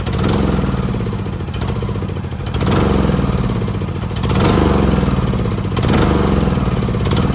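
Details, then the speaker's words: John Deere LA115 riding mower dying after mowing about 30–45 minutes: single-cylinder engine surges and sags every second or two, can be kept alive by feathering throttle but dies; clogged vented fuel cap starving fuel, fixed by venting cap. "so it does that and you can actually feather the throttle and keep it running but it just eventually it just dies"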